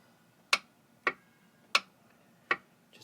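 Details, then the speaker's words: Clicking with no cranking on a 2000 Sea-Doo (Bombardier) GTX Millennium Edition, 108 hours, left in the water all winter, new charged battery: single sharp clicks about every half second to second, four in a row, engine not turning; owner suspects starter. "a clicking sound. Nothing's moving. So, I don't know, maybe a starter."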